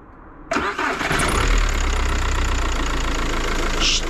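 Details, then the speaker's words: Diesel car starting hard ("twardo odpala"): short reluctant crank catching abruptly into rough, uneven idle, during a test of cranking with clutch pressed versus released; hard starting. "zrobimy pewien test Bo on wcale ładnie nie odpalił"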